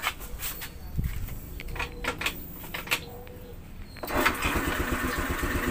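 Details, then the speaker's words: Motorcycle towed in because it would not start at all: a few kicks and rattles, then it catches and settles into a steady, even idle with no misses; back to normal. "Ah meron na naman tayong natulungan na kapaso natin no na back to normal na uli yung kanyang motor"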